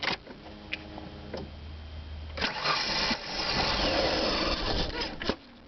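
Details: Steady cranking whir for a couple of seconds before the engine catches and runs rough. Hard start with prolonged cranking, cause unknown.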